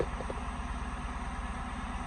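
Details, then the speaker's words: Ford F100 on swapped Crown Victoria frame, just after first start following wiring, slight throttle given: low lumpy V8 idle with steady even beat, nothing tapping or missing; healthy engine. "Sounds pretty good. A little bit of gas. Sounds pretty good."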